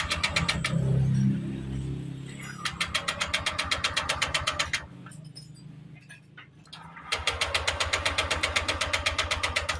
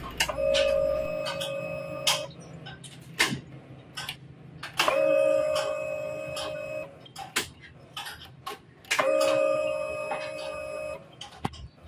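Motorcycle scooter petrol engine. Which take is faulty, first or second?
first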